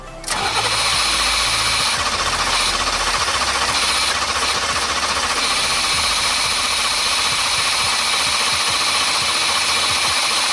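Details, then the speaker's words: 1989 Formula, first start after sitting three years: starter spins briskly and evenly for ten seconds with no firing; owner suspects the fuel pump died, no pump heard, injectors corroded. "Dang it. I don't think we're getting fuel. I don't hear the fuel pump. Oh, did the fuel pump die after sitting for so long?"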